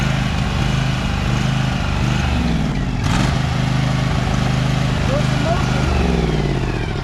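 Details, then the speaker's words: Husqvarna 2346XLS hydrostatic lawn tractor driven forward and backward at highest speed after rust-bound brake and gas pedals were freed with lubricant: steady single-cylinder drone rises and dips, no cutting out or stalling; normal running under load. "so as you saw it didn't stall when i was going forward or backwards in the highest speeds that could go"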